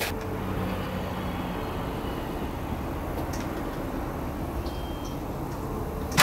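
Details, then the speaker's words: Audi 200 Quattro Turbo after timing kit and some ancillaries were replaced and fresh fuel added; engine still starts and settles into a steady, even run with no knocks, ticks or belt noise, running correctly. "le moteur démarre toujours il tourne correctement on va dire qu'on a réussi"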